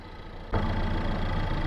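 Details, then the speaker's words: 2017 Suzuki Vitara at idle, AC on max recirculate blowing about 10 degrees: clunk and hum rise as compressor cuts in, then keeps shutting off instead of running continuously, short cycling from low R1234yf refrigerant charge before regas. "So what's happening is I can hear the air compressor running and then every so often it'll kind of just shut off rather than just running continuously."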